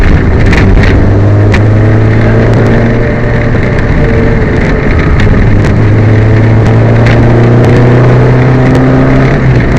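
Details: Peugeot 205 rally car on Opposite Lock Stages Rally 2011 Stage 8, driven hard: uneven, stumbling engine note with irregular pops under load, sounds like missing on a cylinder; engine misfire.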